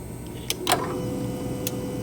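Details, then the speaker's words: 2023 Mazda CX-5 with intermittent no-start and lost PCM communication, key on: throttle body hum cuts off and returns as the harness is moved, with light clicks. Cause is a loose main relay that was barely seated, giving intermittent throttle body power. "Right now I have the key on. I don't know if you can hear the throttle body humming. So I move this, turns off. Move it again. Comes on,"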